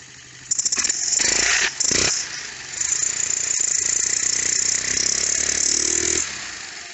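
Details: 150cc GY6-style Roketa scooter, fuel line cleaned and set for continuous fuel flow, electric choke disconnected: catches quickly, revs cleanly through blips and settles to an even idle; sounds healthy.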